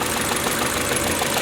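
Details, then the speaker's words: 2012 Chevy Cruze with rough, excessive idle and heavy engine vibration since July 1, 2018; busy, uneven idle with a loose chattering tick. Owner suspects the PCV diaphragm in the camshaft cover, possibly more than one problem. "this is my 2012 chevy cruze and this happened starting on July 1st excessive idling a lot of vibration there in the motor"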